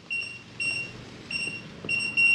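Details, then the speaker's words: Kwikset SmartCode 914 electronic deadbolt while adding a second user code: after pressing lock it flashes green then red and gives short runs of high shrill beeps, rejecting the new code. "lock long beep flash is green flash is red and it beeps at you like multiple times it didn't take the code"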